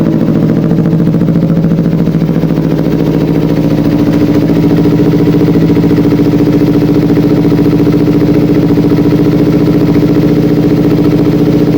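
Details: Kawasaki Ninja 250 FI, complaint of hesitation and weak acceleration, after throttle body refitted; steady, even idle with a regular beat at one pitch, no stumble or missing, normal idle.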